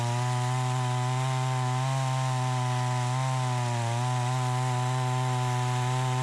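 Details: Troy-Bilt 20-inch chainsaw, bought new, after carburetor adjustment: strong steady high rev holding firm in the cut with only slight dips, clean pull; cuts better than ever, owner may seek slightly more RPM; normal cutting under load.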